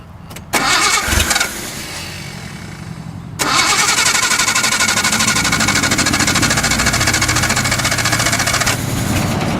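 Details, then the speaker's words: 1972 Datsun 240Z after long storage, float bowls just refilled: several seconds of labored cranking, then it catches with a loud ragged roar and keeps running; slightly flooded carburetors. "We flooded it a little bit. Let me get a little bit of throttle again. Just a little flooded."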